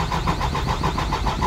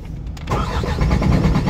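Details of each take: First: Diesel truck, crank no start after sitting overnight; fuel lines have diesel: even starter cranking about six compression pulses a second, never catches; faulty fuel shut-off valve starving the engine. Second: Diesel truck with a cranking no-start, after replacing the faulty shut-off valve: a brief crank, it catches within half a second, then settles into a firm, even diesel idle with no stumbling; it starts and runs normally.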